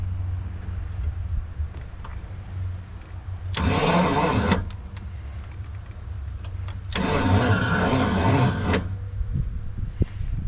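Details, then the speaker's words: 1969 Pontiac Bonneville 428 wagon, sitting since 1981, on a new battery: two short, dragging cranking bursts at about four turns a second, no firing; slow cranking, owner suspects a failing starter or seizing engine. "Oh, why the slow crank? So what's our troubles here? Are we losing our starter?"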